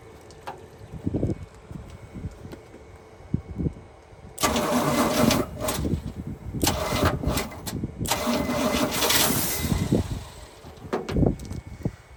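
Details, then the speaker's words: 1976 GMC C20 big block that sat 30 years in storage, fuel poured in, fuel pump suspected not working: catches in two rough bursts over gusty wind then dies; fires briefly but won't keep running. "There she is. She fired. It's windy. So, let's see if there's any smoke. She fired and idled."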